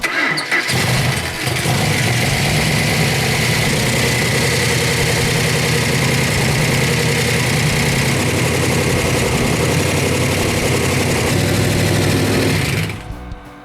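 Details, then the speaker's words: Freshly built 400 Magnum engine with original six-pack carburetion, after a faulty coil was replaced, choke on: catches quickly and settles into a loud, steady, even idle with no misfire or stumble; rockers still need adjusting; normal running. "Oh, that runs good. That runs very good. Royal needs to adjust the rockers, but that's beautiful."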